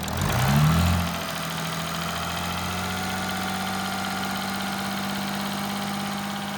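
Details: Audi A8 3.0 TDI (DDV) diesel, about 30K miles and 6 years old, at idle: steady light mechanical tapping; injectors ruled out; top-end inspection found a slack timing chain with worn camshaft sprockets.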